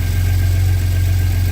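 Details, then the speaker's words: Ford F-150 3.5 V6 twin-turbo EcoBoost with tuner, just after installing SPD high-flow turbo exhaust adapters and 3-inch downpipes: deep steady idle rumble, no ticking or puffing at the joints; no exhaust leak. "Everything sounds good and tight, man. No ticking. If it was good tick, it would have done when you first started it. Sound actually pretty good."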